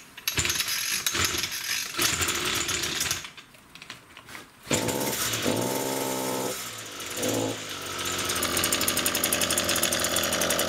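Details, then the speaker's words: Echo grass trimmer (string trimmer) before repair: revs up rough then stumbles and sags in pitch, revs wavering instead of holding; engine bogging under throttle. "it runs poorly I will start it up so you can see how poorly it runs and then I'll show you the repair solution"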